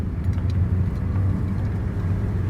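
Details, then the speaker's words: 2015 Hyundai Elantra on a test drive after a replacement transmission was installed: steady driving rumble with no whine under acceleration, shifting well. Normal transmission operation. "but you can see getting on it everything's perfect it's shifting good i don't hear anything"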